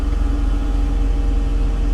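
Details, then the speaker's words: Salvage-auction Mercedes listed as run-and-drive, took a while to fire; low tire, gas and ESP lights on. Low, smooth, very quiet idle rumble with no knocks or misses; running really well. "she's actually running really well it's very quiet"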